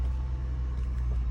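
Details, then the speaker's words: Car just bought at auction, started on the lot: started right up, deep, steady low rumble with no knocks, ticks or misses; real clean, sounds good, normal running. "okay real clean sound good started right up"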